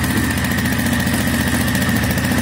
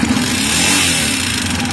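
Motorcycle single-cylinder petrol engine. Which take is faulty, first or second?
second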